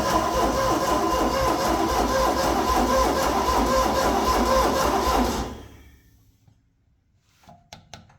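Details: Ford 302 V8 with half its cylinders converted to an air compressor, about 300 hours, possibly with old varnished fuel in the carburetor: even cranking about 3.5 turns a second for five seconds, seems to have ignition but never fires; no-start.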